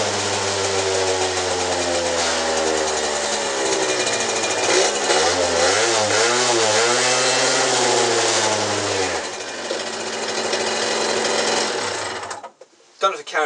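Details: Peugeot Speedfight 50cc two-stroke moped after exhaust, carb and roller work, with head bolts tightened a half turn to stop escaping gas. Buzzy revs wobble a little mid-range, then settle and cut off; runs smoothly, though still slightly rich.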